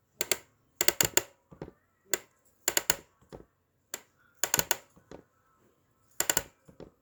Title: MIUZ Ergonomic Mesh Office Chair clicking/popping sound